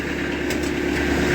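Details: Kubota B3000 tractor after OPC fuse fix: steady, even diesel idle with a smooth low hum and no misses or knocks, still running with seat flipped forward; healthy.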